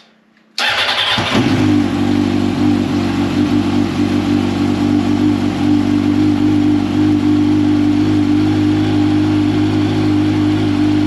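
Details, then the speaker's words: 2005 Yamaha R1 after faulty starter replacement for hard starting, oil refilled: brisk short crank catches at once and settles into steady even idle hum; starter sounds much better, normal start and idle. "starter sounds so much better one more for good measure"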